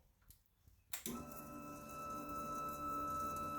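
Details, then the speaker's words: 1996 Suzuki GSXR 750 SRAD (carbureted) with a no-start, after extending and re-soldering wiring: at key-on a click then a steady high electric hum, the fuel pump now priming normally where it didn't before. "we can hear the pump running. So that's happy days."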